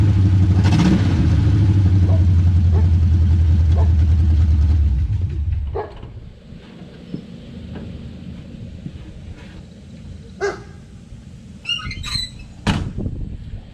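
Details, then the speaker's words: Chevy V8 on open headers, newly bought project car: loud, deep, even rumble with a quick rev for about five seconds, then it cuts off. Healthy, unmuffled, running cleanly. "so I almost forgot I gotta start this up for you guys so you can hear this this thing is a monster of course it's a open header yeah so I'm gonna start her up"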